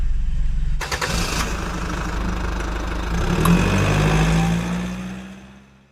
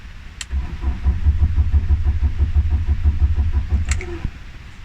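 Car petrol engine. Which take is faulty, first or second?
second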